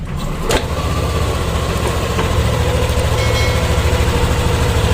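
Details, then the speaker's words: Yamaha Aerox 155 scooter idling, microphone near the CVT: even steady low hum, no rattles or scraping; CVT in good condition, sounds normal. "spray temen-temen dengarkan disini bagian CVT dari motor aerox ini sangatlah halus teman-teman tidak ada kebisingan ataupun bunyi yang aneh-aneh teman-teman"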